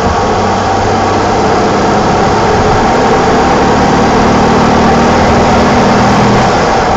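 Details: 1987 BMW E28 520i, M20 2.0-litre inline-six, 129 hp, nearly 400,000 km, running well again, recorded on a phone while driving; smooth, even hum with steady exhaust note, no knocks or ticks. Normal running.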